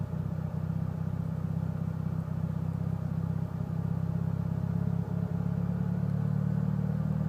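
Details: Mitsubishi Evo VIII with tuned cams, clean MAF intake, regularly serviced: uneven, loping idle with irregular dips and stumbles; cause of the rough idle unknown.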